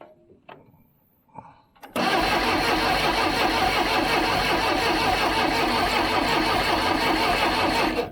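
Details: 1976 Broderson IC70 crane diesel, abandoned for years, with a new starter, a cleaned tank and varnished fuel: steady, fast starter churning for about six seconds with no firing, then it cuts off. A fuel shutoff solenoid is suspected, but it gets power.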